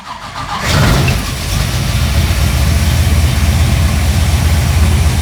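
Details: 1969 Pontiac GTO V8 with fuel injection, dead cold (coolant 60 degrees) after sitting about two months: short crank, then it fires at once and settles into a deep, steady idle with no misses or knocks; healthy start.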